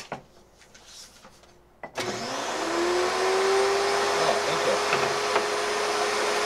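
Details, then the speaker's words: AR383 1900 psi electric pressure washer with spinning conical turbo nozzle: quiet then pump kicks in with steady hiss, rising whine settling into a tone, and light even rattle from the spinning nozzle; normal. "this is the one that spun around so you can hear it rattle I liked it"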